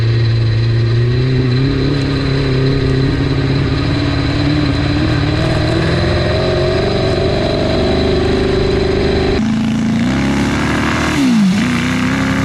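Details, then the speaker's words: Honda CBR1000 engine in a home-built off-road buggy, after gearing and shifter fixes and repeated oil changes, driven in high range. It pulls up under throttle but sounds ragged and raspy rather than smooth; running rough, a miss is suspected and it is not at full power. "It sounds like it's definitely not running right. It sounds like it has a miss, like it's It's definitely not running full power, but this thing is finally drivable."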